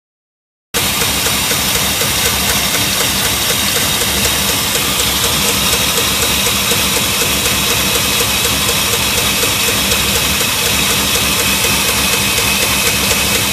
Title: Lifter tick and spinning pushrod